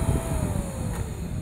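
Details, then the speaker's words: Meyer water pump, about 1.5 hp, that vibrated and hummed without starting, after repairing the broken centrifugal-switch cover displaced almost half an inch: steady low even hum, no knocking, now running properly. "la voy a encender para que tú veas fíjate bien ya nuestra comentamos siendo perfectamente era la tapa que estaba desplazada casi media pulgada hacia atrás"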